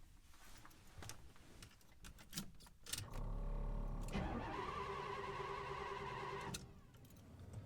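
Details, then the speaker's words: 1977 GMC motorhome with HEI ignition, ran fine when parked, now won't start: some rattling, then about three seconds of even cranking at three to four turns a second, never firing; no spark from failed ignition coil. "So cranking, but no firing, no starting. So I suspect this is spark."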